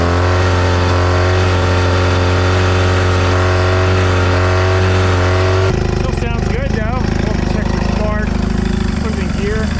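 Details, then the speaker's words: Free outboard for a 1982 Glastron bass boat, long stored and started dry without water to the pump: a small two-stroke buzzing evenly at fast idle that roughens as the lower unit drops into gear. The engine sounds sound; forward and reverse engage. "there's forward and there is reverse beautiful"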